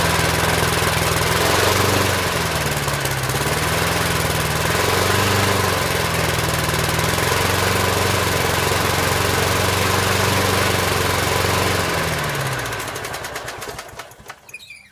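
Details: 1988 Snapper push mower, neglected nearly two years, carburetor just refitted, fresh gas, first pull start: catches and runs with a rough, slightly hunting beat that rises and falls, then winds down and stops after about thirteen seconds.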